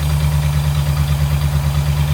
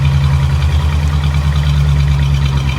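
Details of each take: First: Vintage Ford side-valve flathead V8, first start after 30 years sitting: deep, even, steady burble with no knocks or misses; runs healthy, quiet valvetrain since valves are down in the block. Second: Barn-find Ford flathead side-valve V8 sat 30 years, fuel pulsed into carb by hand every 10 seconds: deep steady low rumble with slightly lumpy beat; running only on hand-fed fuel.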